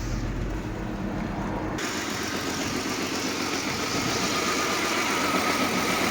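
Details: Mercedes W211 at an even idle: a smooth, regular beat of around 220 per minute with a steady hum and no misses, knocks or stumbles; normal idle.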